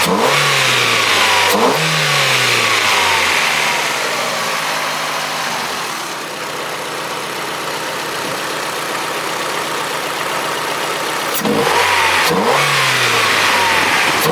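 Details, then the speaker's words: Old Ford engine after new injectors and throttle body, jump-started on flat battery: revs blipped with strong intake roar through the filter, mostly clean rises but small stumble between revs; slight stumble on acceleration. "with the new injectors and the throttle body that the car is running better it seems to want more air is you can hear it through the filter it's definitely demanding more air well it's taking more air um there is a little stumble"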